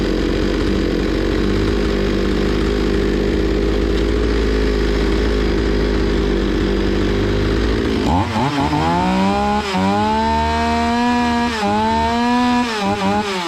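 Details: Zomax 5020 two-stroke chainsaw, carburettor cleaned but still stalling; drones rough, then pitch hunts up and down unevenly as it struggles to hold revs, before mixture screw adjustment.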